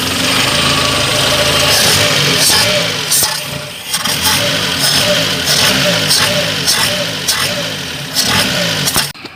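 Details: Engine after a no-start, no-click fault: short crank, catches, then settles into a steady idle with even firing. Now starts and runs normally.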